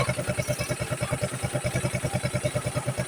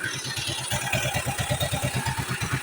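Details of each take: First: Yamaha Mio scooter, fresh build with 59 6.0 cams, idling with crankcase breather covered: soft even putter about three beats a second, no knock or rattle; quiet healthy idle, oil pump confirmed working. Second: Yamaha Mio scooter, fresh build with 59 6.0 cams, first run at idle: fast even puffing chuff about eight per second from crankcase breather over otherwise quiet engine; covering breather silences it.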